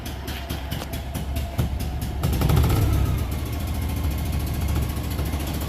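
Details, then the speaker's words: Isetta single-cylinder engine: putter climbs smoothly as revved and settles back without misses or knocks; slight black smoke from rich mixture but no blue smoke, running well. "that sounds really good and she's not smoking particularly"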